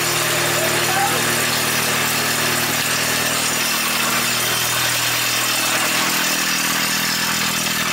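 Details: Nissan Hardbody drift truck first start after build, before exhaust shop: steady, even idle with low hum under hiss and outdoor noise; running smoothly.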